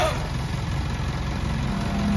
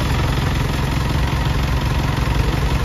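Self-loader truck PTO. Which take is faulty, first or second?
first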